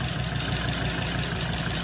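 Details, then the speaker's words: Volvo XC90 with replacement engine, cold start at tick-over with a faint, quick knocking under the low idle drone. The knock is expected to settle once oil pressure builds; cause not confirmed. "so let that warm up tick over now you can just hear that knocking knife we'll get the oil built up in that once that's done"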